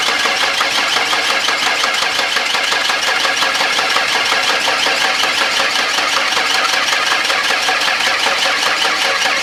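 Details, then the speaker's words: 1992 Ford Explorer cranked for the first time since the late 1990s after sitting about 16 years: steady, even cranking at about three turns a second, slowing slightly as the battery fades; compression sounds even, normal cranking. "hey that sounds really good sounds really good I hope that was enough for it to pump up the oil a little bit"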